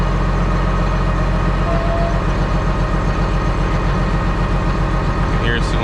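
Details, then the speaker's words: John Deere 724J loader common-rail diesel idling during a cutout test: heavy uneven lumpy beat about 150 a minute; cutting cylinder one changes the sound, cylinder two makes no difference, its wiring suspected. "Yeah, cylinder one's definitely making a difference."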